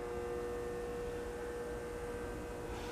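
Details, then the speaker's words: Safer-made Airmaster industrial ceiling fan, revived after stiff bearings and a blown capacitor, running on low through a solid-state speed control at about 0.17–0.19 A. Steady, fixed-tone electrical buzz under the fan noise. Loud motor buzz on low speed. "Oh yeah, it's definitely a loud buzzing on low here with the solid state"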